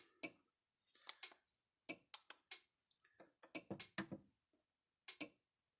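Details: Repaired Gallagher MR2500/MR5000 fence energizer under load, both lights flashing, about 35–38 output joules: crisp ticking snaps roughly once a second, steady and even; normal pulsing under load.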